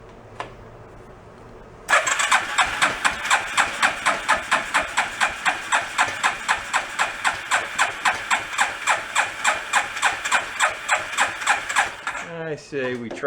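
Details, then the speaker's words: Rat rod quad, long unused and historically hard to start cold, now with mechanical choke (off) and fuel pump priming: starter turns engine in fast even pulses about four per second for ten seconds without firing; cranking without starting. "so we'll give her a crank trying to get it fire it up and if so will let her warm up"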